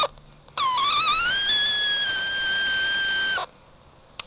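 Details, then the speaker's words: LaserSaber SJR Looper V4.0 tank circuit on brass power rails with a 42-gauge magnet wire transformer: a high whistling tone wavers and climbs as the capacitor is touched and bled, then holds about three seconds and cuts off. Oscillator whine. "an efficient tank circuit listen to this when I hit the capacitor what the does the frequency here hear that bleeding"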